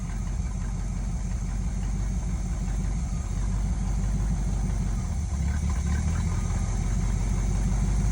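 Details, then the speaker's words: 1971 Chevy C10 V8, first start after long sitting, carb primed, new spark plugs: low even rumble running steadily on its own without missing or hunting; healthy idle, sounds really good. "She's running. She's running. She's idling. I think she's run on her own. Let's let her run for a few seconds. Well, she actually sounds really good. She actually sounds pretty good."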